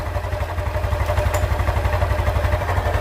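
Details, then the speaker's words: Honda Beat (KZL type, ca. 2020–2021), 24,400 km, idling: coarse, even pulsing about four times a second under the low engine note, located in the engine between the middle and the front (not the CVT); worn camshaft bearing, blamed on cheap oil. "masalahnya motor ini ada suara kasar di bagian mesin"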